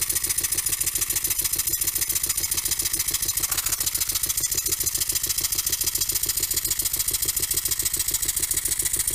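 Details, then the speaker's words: Small double-acting Stuart model steam engine, newly built and running on air: steady quick beat about 140 a minute with a sharp metallic knock each stroke; runs reasonably well but has a slight rod knock. "well the engine is finished together running runs reasonably well as you can probably hear it has a little bit of a rod knock"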